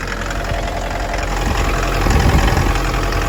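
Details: 2011 Mitsubishi L200 2.5 diesel, automatic, odometer 79,000 km (suspected rolled back): idle with an uneven knock about three times a second; engine knock, source not yet pinned down.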